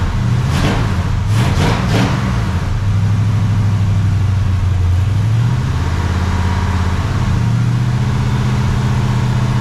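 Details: Freshly rebuilt 400ci small-block Chevy V8 (new bearings and rings) in a 5-speed S10, first run, 65 psi oil pressure; strong even rumble with quick throttle blips, then smooth steady run, no knocks or ticks. Normal running.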